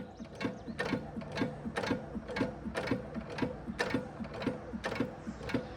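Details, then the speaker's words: 5 HP Sattley hit-and-miss engine after fitting a lighter push rod return spring: crisp, sharp firing about two per second with light cam clatter between; clean, slow, healthy idle. "That is some major progress. Got a good crisp fire and she's idling pretty slow."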